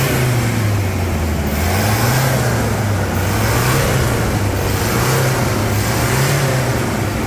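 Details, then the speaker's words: Toyota Hilux diesel revved after brake work and about 159 km of testing; runs clean and rises smoothly through a few throttle blips, no knock or rattle; normal healthy revving. "melodia acelera ali Samurai dá uma aceleradinha ali"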